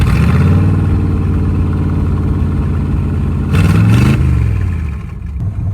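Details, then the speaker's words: 1955 Chevy V8 run with open exhaust manifolds, no mufflers, one side only slightly open because the heat riser doesn't open fully; deep loud unmuffled rumble with a quick rev and raw bark, a little louder. "Open exhaust manifolds with one only slightly open because the heat riser doesn't open all the way. A little louder."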